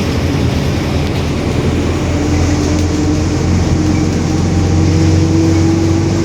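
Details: 2021 Marcopolo Torino S bus on Mercedes-Benz OF-1721 BlueTec 5 chassis, urban service, driving: steady drone with a clear whining note climbing in pitch as road speed builds; roaring differential.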